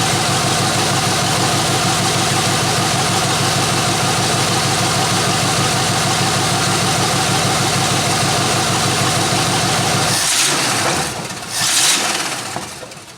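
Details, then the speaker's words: 1993 Chevrolet C1500, long-stored truck mid tune-up with new plugs, started to add antifreeze and check for leaks: steady, even loud idle with smooth exhaust pulse, no miss, no leaks seen; normal idle. "so far so good no miss i don't see any leaks"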